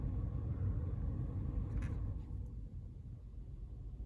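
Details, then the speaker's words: VW Sharan 7M heater blower that only worked on speed 4, after fitting a replacement 240°C thermal fuse, on lowest setting 1: soft, low, steady whoosh with no ticking, scraping or wobble; very gentle but seemingly normal. "one is very gentle but I think that's just the way it is"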